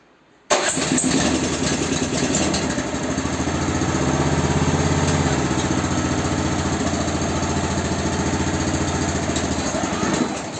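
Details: Honda snowblower test-run after repair: the engine runs steady and even under load while driving off quickly, no misses or knocks; sounds healthy.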